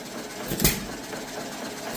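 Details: Antique John Deere Model E hit-and-miss engine, first run, winter in Nebraska: sharp firing pops roughly every second and a half with quiet coasting between; running properly.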